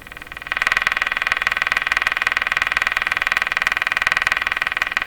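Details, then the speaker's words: Canadian Westinghouse Model 684 radio after cleaning up the IF bypass circuit, on the broadcast band with a live antenna: the French test station comes in as a clear, steady pulsing tone with little hiss; reception good. "That's the French station. So that's the station I use to test radios to see if they're up to snuff. If you can pick up this French station, it's pretty good."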